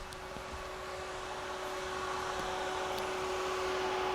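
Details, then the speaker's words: Turbo Acura Integra with newly installed SPAL radiator fans wired temporarily to the chassis harness (auxiliary 7 output, no relays or fuses) to fix overheating; steady, even, loud fan whir spinning up cleanly, working normally and more powerful. "Hey, that's definitely much louder and it feels more powerful. I'm glad to see that it even turns on."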